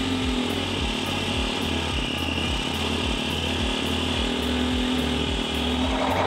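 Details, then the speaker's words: 2022 CSC TT250 carbureted enduro motorcycle warm at operating temperature: slow, loping idle held but set too low, wanting at least three tach bars, adjustable via the carburetor idle speed screw. "now we've got the motorcycle at operating temperature it's at Ida it's holding an idle but it's it's really kind of low"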